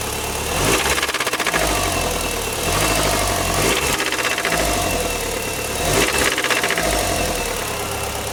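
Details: Mitsubishi Evo IX that stalled on the expressway after hard driving and high oil temperature, was burning oil and about 2.5 quarts low, restarted barely with a jump. Rough struggling idle with a hard metallic rattle; suspected head/valve rattle or rod knock.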